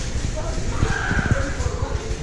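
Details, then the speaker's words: 2014 Ram 1500 3.6 Pentastar with check engine light and code P0306: rough, stumbling idle from a cylinder 6 misfire, caused by a blown head gasket leaking coolant into the cylinder; coil, plugs and injector already replaced without fixing it; repair is a new head gasket. "this is a p0306 code misfire running rock on a 1500 2015"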